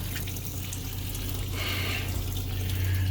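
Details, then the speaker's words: 2003 Winnebago Itasca Sunrise RV after a new water heater drain valve was fitted: a thin, uneven faucet trickle splashes over a steady pump hum. Flow is weak, likely from air in the lines. "we still got nothing but a little streaming up there what in the world"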